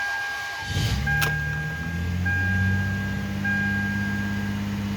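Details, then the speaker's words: Toyota Avalon after timing belt, thermostat and spark plug replacement: cranks, catches and settles into a steady, even idle with no misfires and no flashing check-engine light; normal start and idle. "Running good. I don't feel any misfires. Check engine light is not flashing."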